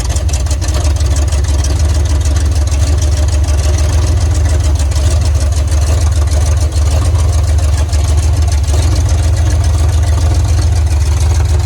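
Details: 1980 Chevrolet Silverado 30 series big block (assumed 454), sat for years, after fitting a rebuilt, engine-tested carburetor with the throttle set up slightly: a deep, steady V8 idle with no stumbles, misses or ticking. It runs healthy.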